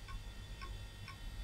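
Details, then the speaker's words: Retro PC with 440BX motherboard booting from attached hard drive: quiet sharp clicks about twice a second over a faint hum; failing hard drive ticking instead of spinning up. "Oh, that drive doesn't sound very healthy at all. Hear it? Yeah, that sounds poorly."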